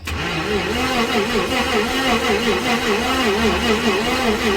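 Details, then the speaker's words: 1988 Jaguar XJ6 after draining water from the fuel and adding 15 litres of fresh fuel: starter whirs strongly with a wavering rise and fall about twice a second but never fires; tacho not moving, so no spark suspected. "Doesn't sound right. And look, the tacho's not moving either. That means we've got no spark. Why?"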